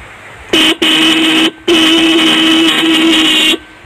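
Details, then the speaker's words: TVS Ntorq Race Edition scooter, key on, horn pressed: three short blasts with a thin, reedy, high buzzing tone, so the horn is weak; owner thinks people may blame a low battery and opens the front panel to look for the cause. "हमारी install के साथ horn का problem थोड़ा-थोड़ा phone 5 रहा है और नहीं बाद रहें"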